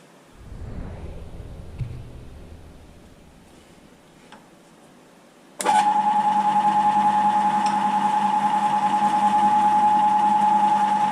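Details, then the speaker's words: Milling with a face mill after reworking its 50 mm MT2 sleeve to fit against the 70 mm MT3 bore: steady, even mid-pitched tone with a fine regular pulse; consistent finish, cutting normally. "That gives a very consistent finish, but overall it looks good, and looks like it's cutting the way that it's supposed to."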